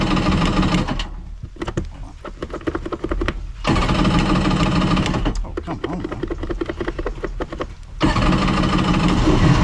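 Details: 1999 Kawasaki 900 STX jet ski after starter replacement and piston repair, battery recharged to 13.3 V after it likely drained from the key being left on: bursts of fast uneven cranking with pauses, last catches and spins up; starts normally.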